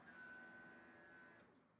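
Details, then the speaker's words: Fuel pump commanded on with power probe on its positive side, proper voltage confirmed, fuel pressure gauge attached: steady high whine for about 1.5 s then cuts off; pump runs but builds no pressure, fuel only trickles out slowly. "I'll do it again we can hear it but we have no pressure"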